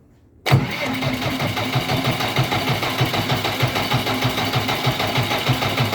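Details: JCB 444 diesel engine starting into an uneven, lumpy idle with a recurring low thud marking a misfire.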